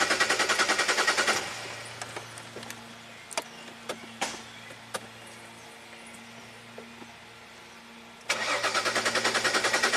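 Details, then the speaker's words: 2005 Jaguar S-Type V6, sat three years: two spells of steady cranking about three beats a second, never firing; fuel pump draws only 1.6 A while cranking versus about 10 A expected, fuel delivery fault. "1.6 amps that's definitely not enough try again 1.6 amp huh I don't really like that should be like 10 amps"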